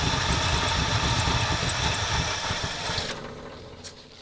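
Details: 1977 Ford F250 351M with Duraspark II ignition, after plugging vacuum lines: uneven lumpy idle with irregular thump about three times a second, no improvement; cause not found, later suspected dirty carburetor and fouled spark plugs.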